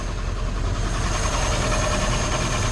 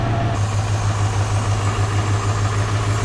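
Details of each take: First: 1947 Ford truck flathead engine, sat 5 or 6 years, after fixing a big vacuum leak: vacuum gauge now where it should be, smooth low even idle rumble with steady beat; normal idle. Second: Low, slightly uneven idle pulsing about three times a second on a 1947 Ford flathead truck, just started after sitting 5–6 years, not warmed up: low vacuum gauge reading from a big vacuum leak; idle smooths once fixed.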